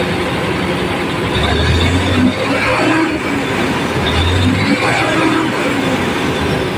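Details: Fuso 6M70 diesel after injectors were tested, cleaned and reinstalled for hard start and low power: runs steadily and takes two clean revs that rise and fall smoothly; running healthy after repair.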